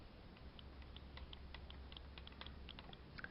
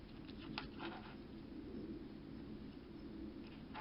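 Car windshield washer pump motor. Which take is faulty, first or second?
first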